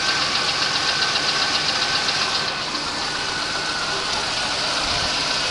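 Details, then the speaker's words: 1989 Oldsmobile Cutlass Supreme warm idle: quick light tapping, three or four a second, over an even hum; owner suspects piston slap, appearing only when warm; cause unconfirmed. "today because there my car's developed an odd issue it's developed an odd piston slap and it only does it when it's warm"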